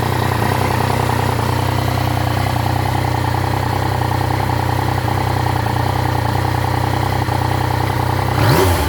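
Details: Triumph Tiger 900 GT at 19,407 km just after its 20,000 km service (filter cleaned, plugs replaced): steady idle with a hollow, breathy roar like no air filter, brief rev; strange noise after service, not noticed while riding.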